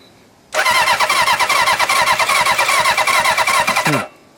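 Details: 1977 Hondamatic 750 barn-find motorcycle, spark just restored after suspected kill-switch short; steady starter churning with quick even chuffs about three a second for three seconds, never catches: cranks but won't start.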